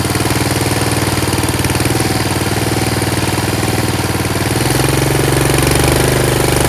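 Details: Yard Machines 38" riding mower, 13.5 HP Tecumseh engine: steady, even single-cylinder thump running continuously, no misses or knocks; normal running. Owner suspects possible carb issue after an earlier stall.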